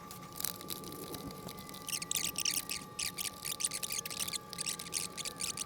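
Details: 20" California Trimmer reel turned by hand against a newly installed bed knife during seating: light, crisp snipping bursts, even all the way across; proper reel-to-bedknife contact.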